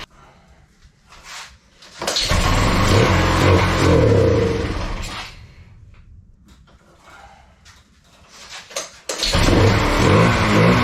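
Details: Kawasaki Bayou 220 ATV, sat eight years, after carburetor cleaning: small single catches and revs cleanly, settles, pulls again evenly, no misses or knocks; smoky, appears to clear itself, air filter not yet fitted. Normal running and revving.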